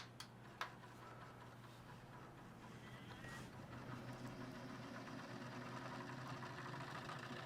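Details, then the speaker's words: iBuyPower tower PC AIO liquid cooler, owner thought it was the GPU fan, mic moved close; steady low hum with uneven churning rattle building after a few seconds: failing AIO pump. "you can really hear that sounds terrible so my customer my customer actually thought that that was the um that was a CPU fan or not a CPU fan sorry but a GPU fan"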